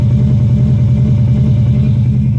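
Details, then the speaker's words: Third-generation Hemi V8 heard inside the cabin, shaking at idle: heavy low uneven loping pulse like a big cam though none is fitted; rough idle preceding lightning-bolt limp mode. "Ooh, it's shaking. Look at that. Now listen to it. Sounds like it's got a"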